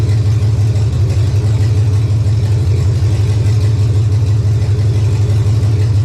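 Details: 1999 Chevy 5.3 V8 4WD junk donor pickup, engine started to test condition: steady, even rumble with smooth low beat, no knocks or misses; runs healthy.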